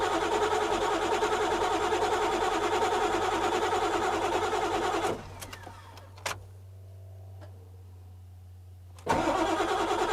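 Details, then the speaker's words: 1997 Ford F-350 7.3 turbo diesel with a new starter, started after the wait-to-start light: rapid steady cranking, a few seconds of near silence with a clunk, then the diesel catches and runs; starts normally. "I have the weight to start light I'm going to try and start it this is sketchy but like it's okay"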